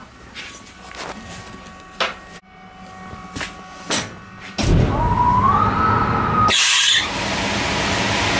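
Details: Air-handling unit blower gives a rush of air with a high whistle that climbs slightly in pitch, then holds, heard with the access hatch open after filter and belt changes; owner suspects misaligned motor and fan pulleys, not confirmed.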